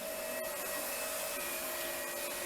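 Steady motor whine with a constant airflow rush and no surging, grinding or rattling; the vacuum is running normally.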